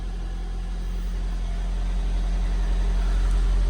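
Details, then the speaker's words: 1990 Toyota MR2 started after long storage, no working rev counter, charging; steady low idle, about four even pulses a second, smooth with no knocks or misses, sounding healthy. "Sounds good. I know there's no rev counter, but it's charging and it runs."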